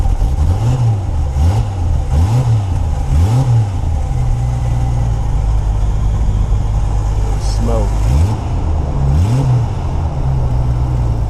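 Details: Jeep that would not start after being driven through flood water, with the owner suspecting a wet distributor cap or distributor: the engine now runs steadily through clean rev blips, with no misses or knocks.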